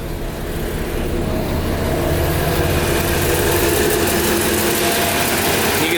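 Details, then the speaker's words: Cold start of an all-original, nut-and-bolt restored older vehicle with new exhaust and choke pulled a quarter out, no throttle; even idle held slightly high on choke, smooth sewing-machine purr, no misses or knocks. Normal cold-start fast idle. "it running nice and smooth and of course the RPMs are up a little bit cuz the choke is on but it just sounds like a little sewing machine"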